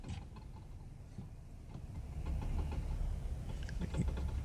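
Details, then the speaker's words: Dodge Ram 1500 4WD with 90,000 miles, on a hard left turn: sharp irregular clicks over low road rumble, also heard on a hard right turn but from one side only; a worn front CV axle is suspected. "wow y'all hear that i'm on a hard left turn yes it's bad on a hard left turn"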